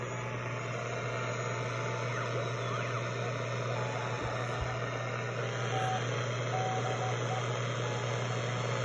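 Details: Telefunken Jubilate radio on the 80 m CW band with a newly built internal BFO powered from the 7 VAC dial lamp: low hum under band hiss with clean keyed Morse tones; the BFO works normally.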